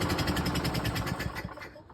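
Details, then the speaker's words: Craftsman 6.75 HP 21-inch self-propelled lawn mower, gas and oil checked, primed about 10 times, throttle held down throughout: the engine fires unevenly, sputters and dies within seconds. Stalling from the throttle not being held open. "So, I changed nothing there. I was holding it down the whole time. It kind of just sputters and dies. So, let's get into the carb on this thing and check it out."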